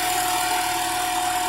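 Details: 2003 Honda Civic engine running: steady airy hiss over the engine that grows as it warms; timing belt also noted as noisier when hot.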